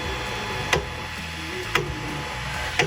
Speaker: If you can hear that clicking sound, you know something is stuck.